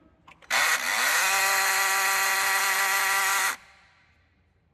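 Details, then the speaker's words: Honda Fit that runs weak and misfires, heard at key-on: a harsh, buzzing gear whir rises in pitch and holds for three seconds. The noise seems to come from inside the very dirty throttle body, suspected as damaged but not confirmed. "mas ele tá com irregularidade que ele barulho tá vindo aqui internamente do do corpo né"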